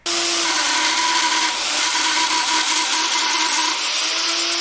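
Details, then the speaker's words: Shop vacuum running with a harsh gritty roar and steady squeal, smelling hot, from dry, rusted motor bearings; fixed by disassembly, greasing the bearings and cleaning rust off the motor. "whenever you turn it on it smells really hot and it makes an absolutely terrible sound"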